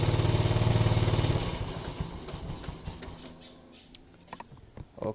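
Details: Yamaha Lagenda 115 Fi, hard starting and not holding idle: single-cylinder putters evenly for about a second, then fades and dies off throttle; dirty throttle body starving idle.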